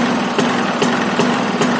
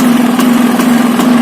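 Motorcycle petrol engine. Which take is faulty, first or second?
second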